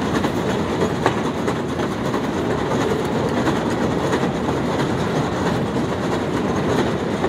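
Steady loud mechanical clatter with uneven rattling clicks throughout; a noisy running escalator, cause not evident.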